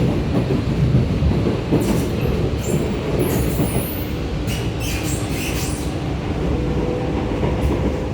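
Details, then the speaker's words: R151 train set 819/820 between Pasir Ris and Tampines, screeching from car 11819 to 13819; shrill metallic screeches flare up in bursts over the rolling clatter of the carriage. "Also don't really like what the screeching sounds a bit annoying."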